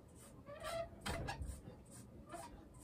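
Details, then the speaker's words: Sole elliptical: high chirpy squeaks about twice a second with each stride as the wheels roll on rails that got wet and then very dry; cleaning and lubricating the rails fixes it. "it makes a loud squeaky noise and a lot of people think that um there's something really bad with their machine when essence it is just a wheel squeaking in it"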